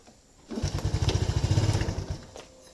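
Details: Yamaha Lagenda 115 FI motorcycle, hard starting: the engine catches, chugs briefly, then dies within two seconds and won't hold an idle.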